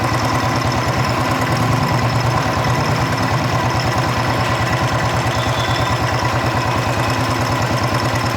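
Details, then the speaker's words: Royal Enfield Bullet 350 Electra steady single-cylinder idle: light even tapping about three per second, following rpm, quieter than before; worn rocker arm causing tappet noise, to be smoothed with emery paper. "यहां पर थोड़ा जो चिड़िया घिस गया है घस गया है इसको इसमें आवाज आ रही है"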